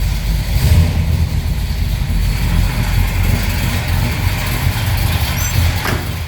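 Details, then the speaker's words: 1970 Pontiac GTO Judge tribute, V8 bored to 469 (about 500 hp), hydraulic Isky custom cam, Edelbrock heads, automatic, 65,000 miles shown, warmed up, heard from outside: deep throaty idle with uneven choppy cam lope; healthy engine. "Great sounding engine. Definitely throaty. Nice little cam to it."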